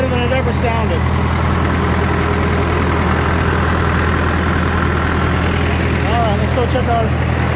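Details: John Deere 450 diesel after in-frame rebuild; steady, even idle with a smooth low rumble and no knocks or misses.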